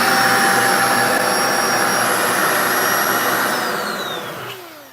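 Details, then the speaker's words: Tiny vacuum cleaner with motor half the size of the body, switched on: strong, steady high-pitched whir with clean even tones, then a smooth spin-down at shutoff; surprisingly powerful. Normal motor running. "Okay, it's a tiny little vac with the motor is a half the size of the body. So when you turn it on, you're not expecting it, and this thing just tears into."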